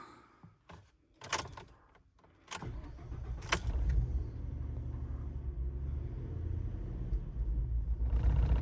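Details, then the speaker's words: 2014 Ford F-150 3.5 EcoBoost in reduced-power limp mode with a dead throttle pedal, code P2112: on startup it cranks and flares in revs, then settles into a rough, shaking idle. The throttle body is faulty and is being replaced. "that jump in RPM there, and it is definitely shaking and vibrating in here now. So we had a pretty good rise up in RPM on the start up."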